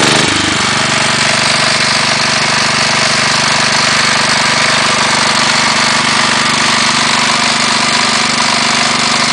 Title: CASE 444 PISTON SLAP